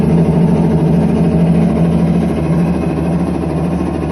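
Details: IPSO commercial washer running with a deep, steady rumbling roar and faint uneven pulse from bad drum bearings.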